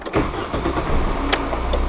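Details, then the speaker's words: VW Golf Mk3 that died again 21 minutes after reassembly: short burst of cranking, engine turns over but won't fire; owner almost positive the throttle body unit is at fault, unconfirmed. "I heard the car die exactly 21 minutes later and the cars dead I want to try and start right back up"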